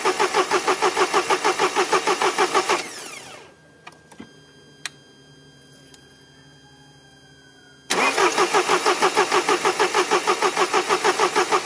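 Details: Mercedes diesel after replacing the injection rail pressure regulation valve: long steady starter churning at about three beats per second, a pause, then more cranking without catching; air was in the fuel circuit.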